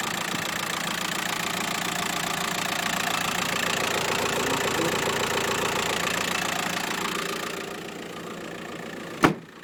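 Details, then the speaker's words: Diesel 1.9 litre, 75 kW, 2008 vehicle with about 170 (thousand) on the odometer, idling: a steady, even clatter with no knocks, vibration or unusual noises; normal idle. "видите как работает хорошо работает без волнения двигатель без всяких посторонних звуков стуков вибрации вот такой вот автомобиль"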